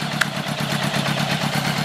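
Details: 1980 Honda Goldwing Interstate after Accel 140403 Super Coil install, started ice cold without choke: even, smooth idle with steady low pulse, no misses or popping, all cylinders firing; normal idle.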